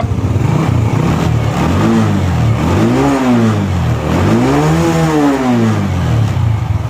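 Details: Honda Wave 110i motorcycle after only the fuel pump motor was replaced and the pump filter cleaned: revs swell and fall smoothly twice with clean, steady firing.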